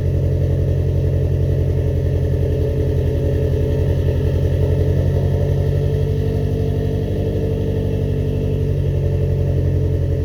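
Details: First start after cylinder head rebuild; steady, even idle with a constant low beat, no clear ticking or knocking, speed holds level.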